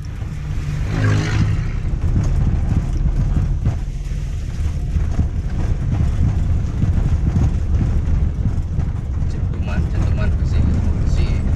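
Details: Toyota Avanza/Daihatsu Xenia rear suspension: hollow clunks over potholes and rough road, worn Panhard rod rubber bushings, a common fault on this model.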